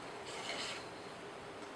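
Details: Bandsaw running after the guide bearing behind the blade was backed off from running hard to just touching; a faint, even blade rasp with no hard rubbing or squeal, noticeably quieter. Normal running.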